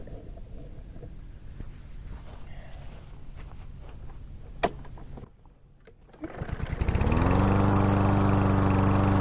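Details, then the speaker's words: Troy-Bilt TB110 push mower with Briggs & Stratton 550EX engine, test run after fuel system cleaning following months of sitting; fires up and settles into a steady, even drone with a firm regular beat, running smooth and healthy. "sounds really good guys so i appreciate all checking out the video"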